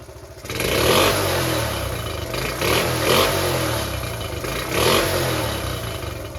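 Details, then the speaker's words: Restored Honda Cub C70 single gives crisp rev bursts that settle back cleanly after the points were fixed and timing set exactly on the F mark; running sweetly. "sounds all right sounds fing perfect [Music] oh my God I think it's right it's done it perfect"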